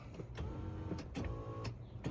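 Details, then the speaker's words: 1999 Lexus ES300, about 147,000 miles, power seat adjusted back: short steady electric motor whirs starting and stopping in bursts, no grinding or clicking; seat motor working normally. "This seat is quite far forward. I wonder if it works. Let's see. Oh, yeah. Huh. Okay. I'm going to scoot this back. So that works."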